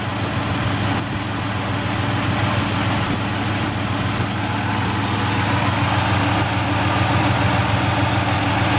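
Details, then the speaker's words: 2004 Ford Escape XLT 3.0L with rough idle, idling in park after a new remanufactured MAF, the O2 sensor refitted and the battery disconnected: a light, even tick of about three per second persists; cause not yet found. "Let you hear the ticking if it's still doing it."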